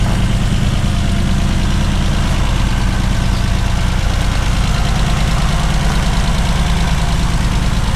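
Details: 1979 BMW 633CSi back on the road after 5 years, X-pipe near-straight exhaust: loud, deep, even idle with a steady throb around three beats a second, no knocks or misses; normal healthy idle.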